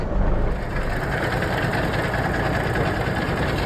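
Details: Diesel truck just restarted after a starter-related no-start: steady, even low diesel rumble at idle with no misses or knocks. Normal idle.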